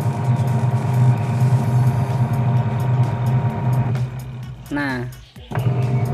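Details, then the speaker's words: Automatic washing machine converted to manual timer after module failure, wash motor via timer: steady hum runs, stops briefly, then restarts as the agitator reverses back and forth; normal wash action. "Oke sudah berfungsi dan bisa muter bolak-balik ya"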